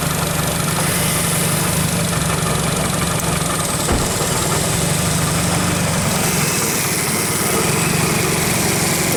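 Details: 2008 Nissan Versa diagnosed with a seized A/C compressor clutch, after replacing a blown fuse: the engine idles rough and laboured once the A/C clutch pulls in, with a strained rumble, as something in the compressor drive drags.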